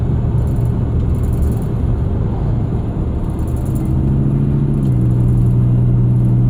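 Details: 2001 Ford Excursion: steady low hum with a droning tonal whine that drops slightly in pitch partway through; source of the whine not yet diagnosed.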